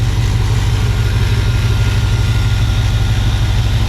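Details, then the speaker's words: V8 with new out-of-box Evil Energy 600 CFM carburetor, screws unadjusted, cold start on first hit: steady even lope with deep rumble around two beats a second, no misses, healthy idle. "That is nuts, guys. I'm not that I'm shocked. Their stuff's nice. That's out of the box. I didn't even touch the screws."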